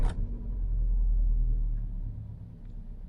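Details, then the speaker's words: Part-exchanged used car with full service history, just started: it catches and settles into a soft, steady low rumble with no knocks or ticks. A very quiet, healthy idle, though a vibration is felt at 60 mph. "If we start her up, I have to say this is one of the quietest engines I've heard on anything I've had for an age."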